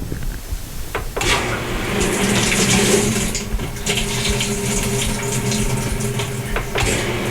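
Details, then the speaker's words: GE washer that won't lock or spin, in service test mode running the hot water valve test: the valve clicks open and water rushes in with a steady hiss and faint hum, filling evenly; the hot inlet valve works normally. "we'll press the start and this will toggle the the hot water off and on so we're going to do that"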